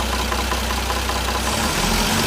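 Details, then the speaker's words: Toyota 1JZ-GTE VVTi petrol engine, fully warmed up; rapid ticking and knocking at idle that fades as revs rise and returns at idle, camshaft knock that stops when the cam is pushed forward with a stick. "А вот прекрасно слышно вот этот вот стрёмный звук. Добавляем обороты."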